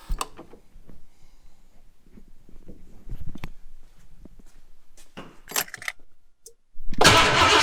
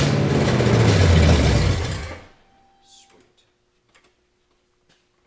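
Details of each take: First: Foxbody 5.0 V8 swap with starting fluid sprayed down the throttle body. It cranks, roars to life for about three seconds, then dies. This points to a fuel supply fault, with dead injectors; the owner questions a clogged fuel rail, the injector harness or a ground. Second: Foxbody 5.0 V8 swap, first successful start with throttle given. A deep, even V8 roar for about two seconds, then it winds down; the engine runs cleanly. O2 sensors and timing are still to be sorted.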